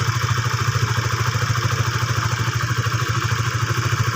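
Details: Honda Sonic 150 (LED, K56) single-cylinder idling steadily with light even ticking about three beats a second, after a homemade repair of the oil-starvation-worn camshaft cap with RXZ conrod plate pieces glued in; normal idle, slight valvetrain clatter.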